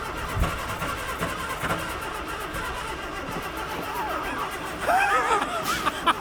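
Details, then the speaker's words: Morris Minor stored 21 years, battery suspect and charger being hooked up: uneven cranking with a few brief catches that never take hold; cranks but will not start. "She's doing the dance. All right, let's let it rest."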